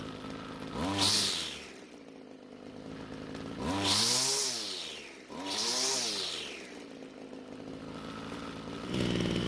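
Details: A Ryobi string trimmer, given away unused, after fuel tank cleaning: the small two-stroke idles, then three clean blips to high revs fall back smoothly to a steady idle. It runs normally, though the attachment is loose.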